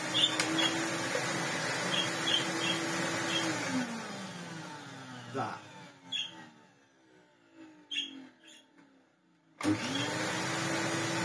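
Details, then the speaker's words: Vacuum cleaner motor after switch-off: the hum falls away, then faint scattered chirps and ticks come through as it spins down. The noise started about a week into use; the owner suspects a dry bearing whose added grease has gone. It sounds fine while running. "the wind down? I don't quite know what it is, it doesn't seem that bad. I'd imagine that the bearing is, you know, all the grease I put in it has gone now and it's still better than it was."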